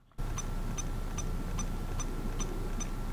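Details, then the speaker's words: USB hard drive connected to an older iPad through a Lightning adapter with extra USB power: a steady faint buzz with a sharp tick about every 0.4 s as it tries to power on. The drive fails to spin up from insufficient power. "so right away I hear the drive buzzing it's trying to power on so we're not seeing anything on the iPad but if you see the drive here you're trying to power on and it's making kind of this like ticking beep sound"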